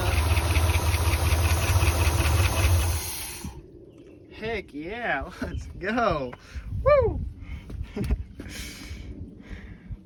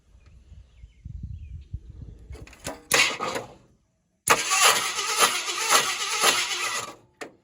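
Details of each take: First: 1976 Ford F-250 highboy V8, first run in 15 years after fixing coil wiring and a dead cylinder; steady, even idle for a few seconds with no miss or stumble before shutoff; now firing on all eight cylinders. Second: 1976 Ford F-250 highboy farm truck that has not run in 15 years (motor not seized), cranked with no distributor or carburetor fitted: uneven bursts of starter grinding as the engine turns over without firing, so it cannot start.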